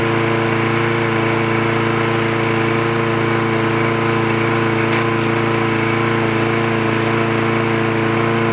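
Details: Trash-picked free Craftsman push lawn mower with automatic choke, running after the spark plug wire was reconnected: a steady, even buzz at constant speed with a clear humming note and no misses or knocks; it runs smoothly.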